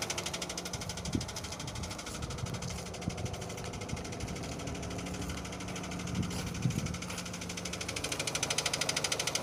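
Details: Renault Scenic 2 with a K4M 1.6 engine and automatic transmission at 202,000 km. A quick light knock, about three per second, sits over a steady idle and grows louder; it comes from below and worsens as the engine warms: lower-end engine knock.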